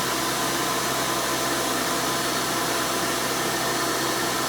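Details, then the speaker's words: 1996 Hoover Spirit (Elite) U5067-930 upright vacuum, lower-end model, just switched on: loud, steady high-pitched screaming motor and rushing airflow, even throughout; normal running, slowly self-propelling. "and you can hear this and all its screaming overly loud hoover glory"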